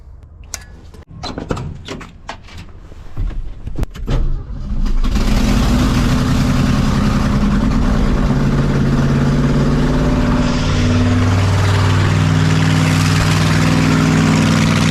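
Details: 1982 Ford F-150, 302 V8, after fitting a new budget carburetor (was running on 5 cylinders): cranks, catches and settles into a steady, even V8 idle, about 1,000 rpm, slightly high, no leaks.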